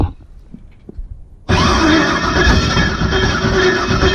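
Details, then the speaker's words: Jet boat engine with Holley computer, map sensor and injectors not yet programmed correctly: after a quiet lead-in, harsh rough grinding while cranking. Owner suspects the flywheel is hitting something on the bell housing. "almost sounds like the flywheel's hitting something on the bell housing"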